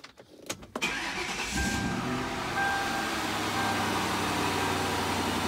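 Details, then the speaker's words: 2003 Mercury Marauder V8 after fixing a no-crank no-start fault (loose transmission range sensor harness terminal replaced with a pigtail terminal): brief crank, catches straight away into a smooth, even idle; normal start after repair. "right up with no issues not that there ever really was an issue with the engine running it was just that i couldn't get it to start because of that"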